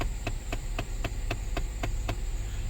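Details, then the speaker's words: 2010 Lincoln MKS: steady light clicking, about four per second, over low blower hum from under the dash when A/C settings change; a faulty blend door actuator, replaced. "today's problem is a clicking coming from this area whenever the uh ac has turned to um turn to different settings"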